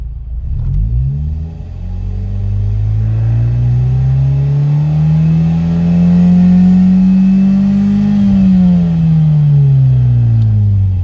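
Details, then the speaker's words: Ford Mondeo on road after breaking down returning from Santa Pod: engine note climbs then sags and flattens mid-pull, hesitating and losing power, recently stalled; owner suspects failing fuel pump, unconfirmed. "The one that's in now, it actually stalled a minute ago when I was opening the gates, and it's just losing power the"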